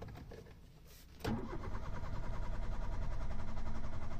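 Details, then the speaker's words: Hyundai Eon with hard starting after a new fuel pump, AC on: a few seconds of steady cranking before it catches and idles; long crank persists, crankshaft sensor to be checked next. "So nandoon pa rin yung long crank. Pag hindi mo patayin, pangalawang start ulit."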